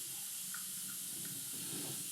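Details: Planet Eclipse Ego LV1/1.x paintball marker pressurised from a bottle: a steady, high, airy hiss with no break. Air is leaking at the block (breech, bolt or solenoid suspected, regulator checked leak-free), later traced to worn solenoid manifold seals.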